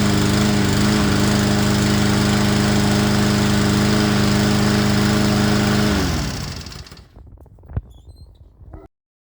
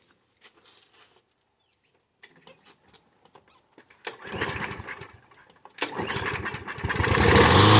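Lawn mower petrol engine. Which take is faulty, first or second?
second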